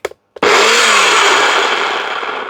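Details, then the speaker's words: Secondhand all-plastic kitchen blender switched on: harsh gritty roar with a falling whirr underneath, far rougher than normal; owner suspects poor motor bearings, cause not confirmed. "Oh, that sounds awful. I don't know if the noise is in here. Does sound very noisy. Sounds like the bearings aren't very good in that."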